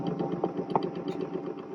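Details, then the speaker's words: 1947–1951 RCA wire recorder (magnetic recorder, cartridge type) under repair: drive motor running with a busy, rattling hum and uneven clatter, much noisier than expected, makes a lot of racket. "makes a lot of Racket doesn't it"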